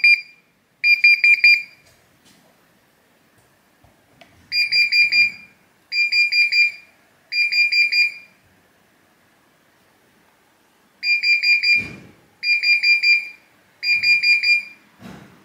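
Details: Bosch tumble dryer showing error E90: high electronic beeps in groups of three, each a rapid warbling burst; error alarm, electronic board problem suspected, not confirmed.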